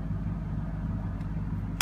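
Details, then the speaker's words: Ford F150 4x4 transfer case motor wired directly to a switch, bypassing the GEM module, engine idling: a single sharp click as it shifts out of four-low into two-high; normal transfer case shift to two-high. "once it engages you just put it back in the middle and you on four low you ready two will drive just press down you hear it click"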